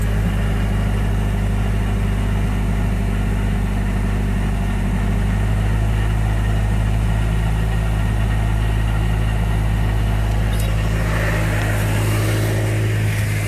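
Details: Miata with Jackson Racing M45 supercharger at idle: heavy low drone with steady throbbing hum over the engine; owner suspects bad supercharger bearings.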